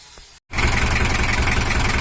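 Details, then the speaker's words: Toyota Hiace LH11 diesel, complaint of overheating and rough knocking, after service and injection pump adjustment: steady even idle with low regular clatter, some blow-by still suspected from compression; normal idle. "untuk mesin lh11 nya udah hidup ya dan suaranya udah normal"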